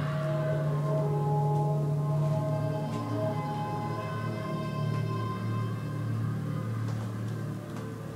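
Deep steady moan with a low droning tone and overtones, slowly fading; an eerie foghorn-like noise in the house, source unknown.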